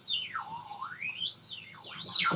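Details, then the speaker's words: Homemade FET-based AM radio tuner: squealing whistles swoop up and down over a faint low hum as supply voltage is adjusted, which changes the whistling; receiver oscillating instead of tuning cleanly, stations barely audible; oscillation whistle, cause unknown. "but what do i do about all this whistling noises that it's making and this project is pretty much grounded until i can get that sorted out the strange thing is if i adjust the voltage is getting that also affects"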